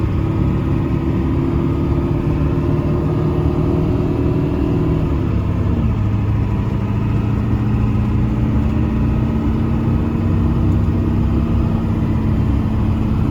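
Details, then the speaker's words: 1995 Ford 7.3 Powerstroke diesel truck, roadworthy again after 10 years sitting, on a drive: deep steady rumble, pitch dropping smoothly on shifts then settling even under load; healthy. "Let's fire it up and give a listen, and then we'll take it for a drive."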